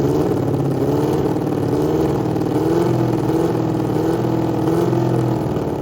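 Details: 1987 Honda CBR600F Hurricane four-cylinder, first start after reassembly, dry carbs fed fuel by spray bottle, one float sticking then settling: idles fairly evenly with gentle rise and fall in revs, no knocking; normal running.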